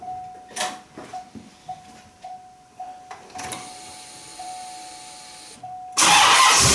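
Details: LT1 V8 in a C4 Corvette (about 46–48k miles) started the morning after an intake manifold gasket replacement and throttle body cleaning. The starter whirs in short bursts, then turns steadily before the engine catches into a strong, even roar. Normal start and idle.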